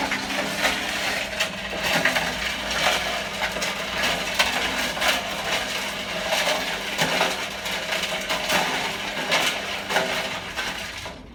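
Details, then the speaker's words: Privileg 5140 washing machine after a part came off and damaged the motor brush and power was lost; drum turns slower than before with uneven clunks and rattles over low hum, cause unknown, possibly water on motor. "As you can see, it's not spinning at the same speed that it was."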